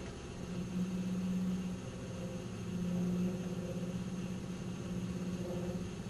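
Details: 1997 Nissan Maxima at idle: low droning resonance hum that swells and fades, going away with a little gas then returning; idle resonance noise, source unclear.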